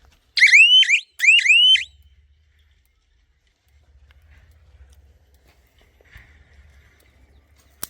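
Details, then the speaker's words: Solar fence energizer connected to the fence wire and ground: two quick rising-and-falling siren wails about a second each, then quiet. This is the alarm that sounds when fence current drops. "Machine में current रहा तो machine से आवाज जब भी झटका झटके का current drop होगा तब सायरन आवाज देगा"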